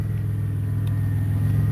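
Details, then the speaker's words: 2008 BMW 328i after alternator install, air filter not fitted: steady, smooth low hum with no knocks or misses; idle slightly high, possibly from missing air filter; normal idle. "That it's idling a little higher, but we don't have that air filter in right now, so that could be part of the problem, part of the reason. But so far, it sounds pretty good. Yeah, it sounds good. It's running smooth."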